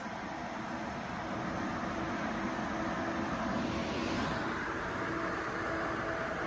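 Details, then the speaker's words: Two ACMEMATION 120mm 4-pin PWM PC case fans (2700 RPM max) running together: steady, even airy whoosh with a soft low hum and no ticks or rattles; both fans sound healthy, normal operation. "And finally at full speed. Oh yeah, it's really moving the paper now."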